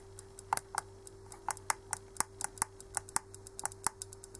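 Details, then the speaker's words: Common rail injector on a homemade cheap bench tester: sharp crisp solenoid clicks four or five a second over a faint hum as the duty cycle is raised; the injector is suspected to be badly assembled. "łychać prawda wyraźnie słychać rzece wycieczka elektromagnesu która jest w tym wtrysku on jest chyba źle złożony w każdym bądź razie to jest jego praca"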